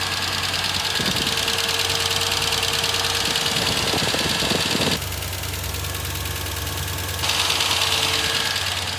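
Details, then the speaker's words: 1998 Ford Ranger, 4.0 L V6, 62,993 miles, out of service about a year: idles with a steady, even tapping knock of about three beats a second, source unidentified. "This one has a 4.0 L V6 with only 62,000 miles, but the engine is knocking. It's steady tapping, kicking, knocking."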